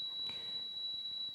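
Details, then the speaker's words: Yamaha K-500 cassette deck playing a 4 kHz test tape before azimuth and speed alignment: steady tone under heavy hiss and crackly noise, with audible channel level imbalance. "there we go we can hear it's very noisy we've got a channel discrepancy here which i can hear as well"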